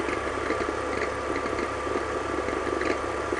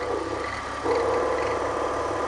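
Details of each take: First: BMW E46 at idle, touching the belt tensioner adjuster mechanism; squeak repeats about twice a second with a small knock each time, belt visibly jumping; noise from the tensioner mechanism, not the pulley. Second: BMW E46, belt squeak diagnosis at idle, listening close-up on the alternator pulley; smooth steady whir with light even tone, no squeal or roughness; alternator bearing is fine.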